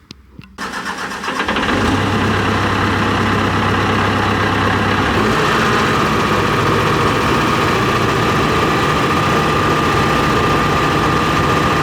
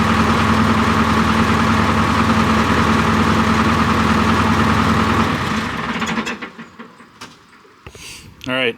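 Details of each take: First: John Deere 245G excavator diesel after emissions delete, all injectors connected: cranks, catches, settles into slightly harsh idle with regular knock; number 3 injector suspected over-fuelling, causing black smoke under load, confirmed by unplugging it before replacement. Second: John Deere 245G excavator diesel after emissions delete, cold start after repairing the over-fueling No. 3 injector behind the black smoke and fuel knock: even, steady diesel beat with no knocking, then quiets; runs clean.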